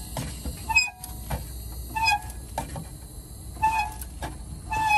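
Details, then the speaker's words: Truck fan clutch with solenoid reconnected after flipping worn plates: whistling air hiss swelling and fading with each fan revolution, about every 1.3 s; major air leak remains inside the clutch, replacement planned. "we still have some major leakage with the uh air you hear it change with the spinner"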